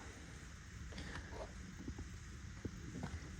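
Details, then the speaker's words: John Deere B tractor, heated rear wheel hub with cold chisels and jack: slow irregular creaks and groans as the rusted-on hub starts to break loose. "Yeah, it's starting to go. It's just a matter of being patient with it."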